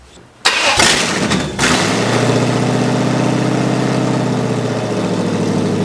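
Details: Junkyard Vortec 5.7L swapped into an S10, first start after head swap, no coolant yet, with MAP and other sensor unplugged: short crank, catches fast, steady loud even idle through open headers, normal idle.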